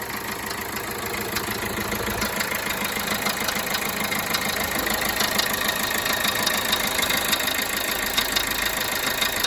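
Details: Peugeot Bipper Tepee 1.3 HDi (JTD) diesel at idle: a steady tapping knock, about three per second, over the usual clatter; the engine noise source is undetermined.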